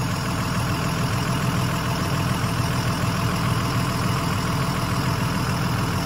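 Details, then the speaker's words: 2001 Freightliner XC chassis diesel motorhome (Allegro 35IP) idling after air dryer/filter service: steady, even idle with low rumble and no hiss; only the rear relay valve audible, air fittings sealed, no leaks. "all right all right no leaks that I can tell um just the uh the relay valve for the rear there so it's like a relay thing so that's what you can hear right now"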